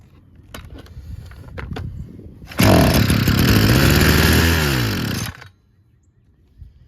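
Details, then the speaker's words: Chainsaw trade-in, quick test run: after some handling it fires and holds a loud, busy buzz for about three seconds, then shuts off. It starts and runs fine, though it may need fuel tank repair. "All right, so that one will run, sounds like."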